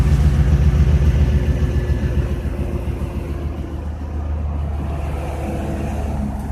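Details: 2006 TBSS V8 settling to idle with a quick, fairly even low knock under the rumble, about three to four a second; the owner suspects piston slap.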